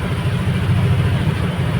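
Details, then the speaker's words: Yamaha NMAX All New v.2 scooter after repair of stalling on acceleration and stumbling pull-away (electrical system fixed) and a sticky, hanging throttle fixed: steady, even low burble at idle with no stumbles, dips or misses; idles smoothly and healthy. "แล้วก็อาการที่คันเร่งหนืดค้างนะครับอ่ะอ่าก็หายนะครับก็แก้เรียบร้อยครับ"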